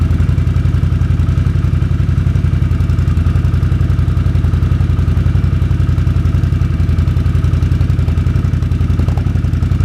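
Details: 2006 Can-Am Outlander Max 500 ATV idling after a bad battery (no ECM communication) was replaced with a new 12 V AGM battery: even, steady thumping idle at about four beats a second, no misses or knocks; clean normal idle.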